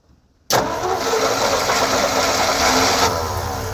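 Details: 1956 Ford truck, 45,000 original miles, sat over 40 years, cranking with a newly installed rebuilt starter: the starter engages sharply and spins the engine at a steady, even pace with no grinding; it is cranking normally.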